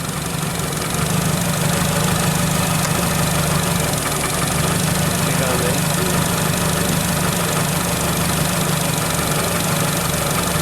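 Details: 2008 Nissan Versa engine idling after replacing a blown A/C clutch fuse, with the suspected seized compressor clutch engaged: loud, labouring idle with an uneven knock and rattle, clearly unhappy under that load. Rough running with A/C clutch engaged.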